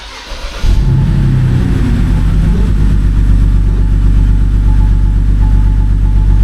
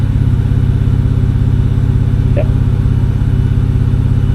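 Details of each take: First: 2007 BMW N52 with original ignition coils, misfire code on cylinder 2, restarted after the coil check: uneven, stumbling idle with irregular low thumps about four a second; misfire attributed to faulty coil 2, swap or replacement planned. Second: BMW N52 inline-six at smooth, even low idle after coil swap test for an earlier cylinder 2 misfire code; live data operational smoothness values on all six cylinders show everything firing as it should, no faults: normal idle.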